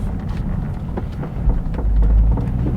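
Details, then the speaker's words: 2001 Ford Mustang SN95 Cobra on a drive after replacing front ball joints and tie rod ends: low even road rumble with no front-end knocking, suspension tight and quiet; some rear groans remain. "much nicer no knocking at all from the front anymore nice and firm everything's great"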